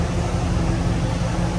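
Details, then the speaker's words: 2001-2002 Camaro SS SLP V8, about 100,000 miles, with 1 3/4 headers and a 3-inch off-road Y-pipe: deep, even idle rumble around 700 rpm with steady firing, louder than the quiet stock exhaust. No skips or stumbles. "yeah, it sounds way better than stock. When it was stock, it was super quiet."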